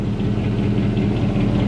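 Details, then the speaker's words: 2003 Dodge Ram 1500 Hemi, 390,227 original miles, original engine, after cold start around 55 degrees: warm idle with steady fast low knock from the bottom end, getting louder; rod knock. "you hear that low knock knock knock knock knock knock knock knock that's that rod giving it hell down there look one more time down low"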